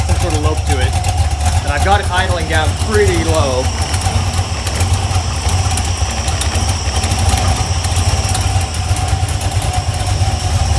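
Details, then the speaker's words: Iron 5.3 LS LM7 V8, likely BTR Stage 2 truck cam, running on a run stand: lopey cam idle after a few start cycles primed the oil. Early valve-train noise is gone and there is no top-end ticking. One bank seemed a little smoky. Normal lopey cam idle. "valve train noise went away I find that when I find when I fire up Motors on my run stand they've usually been upside down and they haven't had oil in them so they usually take a couple start Cycles to like really Prime up but yeah the Val train nose is completely gone"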